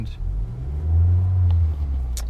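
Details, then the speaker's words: 2015 Honda Accord 2.4L K24 GDI four-cylinder, restarted after a one-hour heat soak following CRC GDI intake valve cleaner: low, uneven rumble that surges and sags, misfiring and running rough; check engine light flashing, no codes stored. "now I don't know if you guys noticed during the video but the engine was running really rough as it will and"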